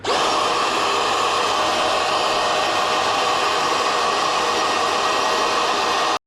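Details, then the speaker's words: NovSight G5 6000A jump starter/tire inflator's air pump with hose on the suction side, deflating an inflated trash bag: steady high-pitched motor whir with rushing airflow hiss, even throughout; normal suction-mode running. "You're going to switch the hose over to the suction side and it's going to pull the air out of this and uh get it back down to where it was."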